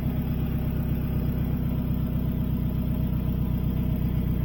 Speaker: This rig here has an exhaust leak. [Music] And you know it's an exhaust leak because of the way that it sounds. Take a listen.